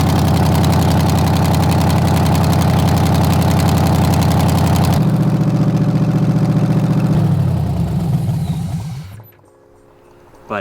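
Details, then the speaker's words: LS V8-swapped Chevy S10, first runs after a VATS-delete tune and fuel fixes, about 10 seconds of running with 1600 rpm called out; V8 runs with an even steady beat, settles lower as throttle eases, then shuts off: normal running after first start. "it's only been like 10 seconds but i ain't trying to melt these off first day dude it runs though like i wanted it to run"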